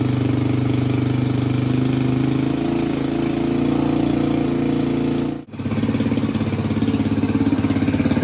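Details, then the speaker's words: 1985 Suzuki DR250 single, first idle after revival with the exhaust refitted and the fuel filter replaced by a straight line. Started easily and settles into a steady, even idle with no valve chatter or top-end tick. Healthy. "Sounds really good. No valve chatter. Started up pretty easy. And it's actually idling."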